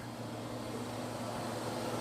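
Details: Ford Falcon electric cooling fan running with ignition on accessories after bypassing the fan power circuit, a roadside fix when the fans fail to come on and the car overheats; steady smooth whirring hum, slowly swelling slightly, running fine.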